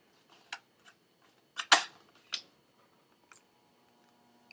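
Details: USB floppy drive on a Macintosh running OS 8.6/9.2, just after a floppy is inserted: sparse dry clicks and one solid clunk as the disk seats and the head steps, quiet background; normal reading.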